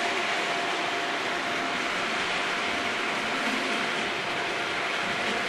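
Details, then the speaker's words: Model railway freight train (British diesel locomotive hauling wagons) after sorting the first wagon that was causing front bogie derailments: even, steady rolling hiss with faint constant tone, no knocks or clatter; wheels tracking cleanly, normal running. "sounds like a sea of Wheels to me Yep they're all on"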